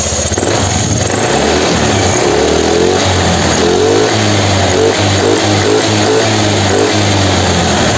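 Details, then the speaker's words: Honda Scoopy eSP 2016 scooter after ECU failure repair, engine started with quick throttle blips: revs rise and fall cleanly with no stumble or misfire, runs properly. "Itu motornya sudah nyala Coba kita sedikit kasih geberan ya"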